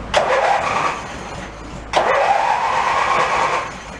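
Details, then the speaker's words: Mid-1980s Snapper riding mower, cold, mower deck off: two short cranking bursts turn the engine about three times a second, then drop off without catching. It cranks but won't start; suspected cause is the lever not staying forward or the starter relay contacts. "go nothing didn't stay all the way forward that's why let's go try it again that's the contacts in the starter relay you get so close sometimes"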